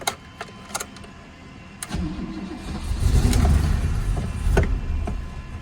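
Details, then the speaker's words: Barn-find BMW 635CSi: starter cranks, then the engine holds a lumpy low idle, backfires through the intake and cuts out with any throttle. There is no throttle response. "just no throttle response at all was that a bang then back fired didn't it wonder if timing's gone out on it by by any mistake backfiring through in intake that as soon as I put throttle on it it cuts out"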